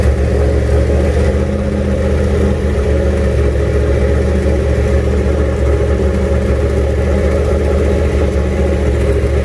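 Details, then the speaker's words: 1967 Mustang, junkyard 351W turbo V8 with new headers, first fire-up: loping uneven idle, throaty slightly ragged beat, blip of revs; runs but owner says it definitely needs a tune. "well there she is fires up definitely needs a tune ha feels good stop making any weird noises"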